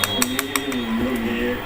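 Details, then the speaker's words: Hitachi 16-inch fan after a new 1.5 µF capacitor: a quick run of sharp ticks, about six a second, then smooth motor hum as the oscillation drive slips; the oscillation shaft is likely broken and needs repair. "เหมนมันจะมันจะฟรีตรงนี้ครับช่วงนี้ฟรีอยู่ตัวนี้น่าจะเสียครับ"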